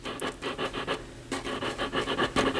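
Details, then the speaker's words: Altec Lansing Valencia 846B woofer cone pushed by hand: dry scraping rasps, about six a second, from the voice coil rubbing in its gap, before re-centering the coil by re-shimming. "so here I have an Altec Lansing woofer I think you can hear the voice coil rubbing"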